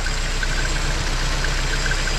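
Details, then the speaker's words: Nissan KA24DE four-cylinder in a 300ZX with newly fabricated exhaust, on test drive: steady idle with light irregular metallic chatter, typical timing chain rattle. "ฉันมีท่อเป่าลมไม่อุ่นถึงขนาดนั้นแต่ก็มีเสียงสั่นของโซ่ไทม์มิ่งที่บ้าๆบอๆทั่วไปช่า"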